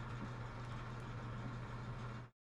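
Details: Clothes dryer after a home repair of its knocking and squeaking: even, steady low rumble with a smooth drum hum and no knocks or squeaks; running quietly after the fix.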